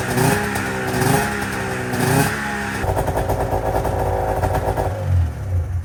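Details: 1997 Arctic Cat ZR 440 two-stroke after fresh top-end rebuild with new V4 reeds, new coil, plug caps, coolant topped up: crackly buzz pulling up through blips, then settling to a steady burbling idle; runs right.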